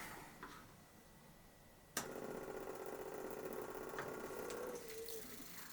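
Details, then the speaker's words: Simple homemade electric motor, coil switched by 3D-printed piece pushing contact wires, first run: buzzy rattle about four beats a second with thin whirring, jerky not smooth; vibrating, coil timing suspected incorrect. "Okay, it's vibrating, which means my timing is probably not correct."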